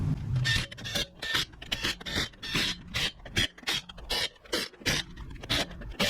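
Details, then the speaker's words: After brake repair (noise caused by rotor dust shields, now cleared), wheel spun: light rhythmic swish about two and a half times a second, soft even pad rub, no grinding; normal light brake pad contact. "do we have any noise nothing but the typical brake pad"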